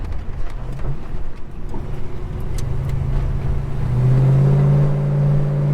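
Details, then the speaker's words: Holden HK V8 on a drive, deep even burble swelling smoothly as the throttle opens, no knocks or misses; healthy meaty exhaust. "This just sounds so meaty, sounds so good."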